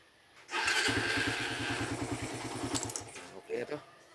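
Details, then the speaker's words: Single-cylinder motorcycle with 28 mm Keihin carburetor, after tune-up and oil change; it previously would not start when hot. Engine hot after a test drive: a single starter press catches straight away and settles into an even putter. Hot start is now normal. "Tapos dati pagka mainit yung makina ayaw umandar maghar start pero ngayon okay na kasi kanina pinainit namin to tapos test drive test drive tapos mainit na one click pa rin naman"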